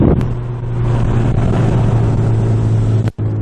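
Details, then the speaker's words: VW GTI Stage 2 (APR) with APR downpipe, Vibrant 17950 resonator replacing factory front muffler, otherwise factory exhaust, light brisk acceleration from about 2500 rpm: steady low droning hum, mild exhaust drone slightly louder than stock. "One place that I did hear the drone a little louder than stock was when I did a brisk acceleration, just a light one, I should say."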